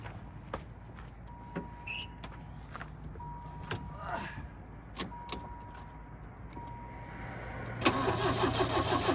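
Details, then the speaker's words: Yugo with a stone-cold-dead battery started on a booster pack: a door chime pings over slow cranking clicks, then the engine catches and settles into a busy idle, left to warm up; dead battery, jump-started. "i thought we were going to lose battery there for a minute but she runs anyways we'll let her warm up"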